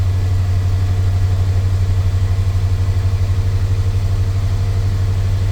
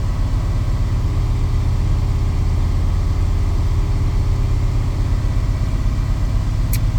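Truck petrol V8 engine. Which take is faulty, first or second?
second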